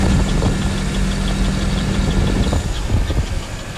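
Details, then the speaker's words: 2009 GMC Sierra 5.3L V8 at 108,000 miles idling with a light, fast, even tick over the rumble: collapsed lifter, a common 5.3 problem. "I didn't want it to be this lifter tick which if you're watching this video you probably are too but if it sounds anything like this"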